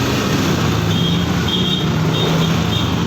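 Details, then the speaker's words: Yamaha NMAX 155 scooter that cranked with a good battery but would not start, now serviced and reassembled: engine holds an even, steady drone with no stumble or misfire, faint beeping nearby; running normally again. "Yes, engine on. Nah, oke, motor kembali normal lagi teman-teman."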